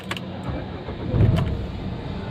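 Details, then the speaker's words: Renault Duster 110 PS diesel after injector coding and calibration via scan tool: engine catches and settles into a low, even rumble without the earlier tractor-like tak-tak injector knocking; start-up now smooth, no fault codes before or after. "आप देख सकते हो पहले से काफी smooth हो गई है गाड़ी ओके हो गई है मेरी गाड़ी"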